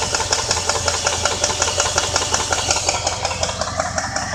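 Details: 2001 Jeep Grand Cherokee 4.7 V8 that died at a red light, then restarted after towing: steady sharp idle ticking, about three clicks per second; owner unsure if lifter, flywheel, timing chain or rod knock.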